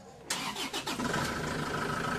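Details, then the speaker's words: Isuzu Traviz diesel with noisy engine, very thick oil and low power, after oil change, belt checked: cranks briefly, catches cleanly into even quiet idle with no knocking or rattle; engine no longer noisy. "Yon. Nakita niyo naman mga boss, hindi na maingay itong makina ni customer."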